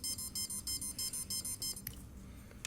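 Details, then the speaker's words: Cheerson CX-20 drone being upgraded from factory APM to APM 2.8 during ESC calibration: a fast run of short, shrill beeps as the speed controllers sit in programming mode; fix is to unplug the battery and USB cable. "actually in a programming mode so if I happen to push this down I end up going into a different menu"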